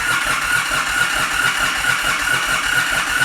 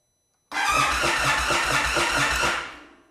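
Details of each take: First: 2022 Indian Super Chief ABS crank-no-start: starter churns steadily at about two turns a second with no firing and no RPM shown on the gauge; a faulty crankshaft position sensor means no engine position signal, so spark and fuel are cut. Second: Known-good Indian Chief V-twin, used for comparison with a 2022 Super Chief ABS that won't start (suspected bad crank position sensor): starter spins the engine briefly with even cranking and no odd noises; RPM gauge rises, showing a working sensor.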